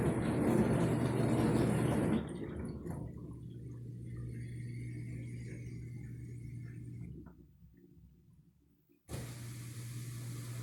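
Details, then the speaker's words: Dishwasher after drain pump replacement, on drain cycle: low steady hum with water gurgling away, brief pause, hum resumes evenly; new pump draining normally. "all right guys we are now draining you can see the water going down into the drain and this was full of water so got that pump changed and you can hear it see you hear the water water going down there so we're good to go"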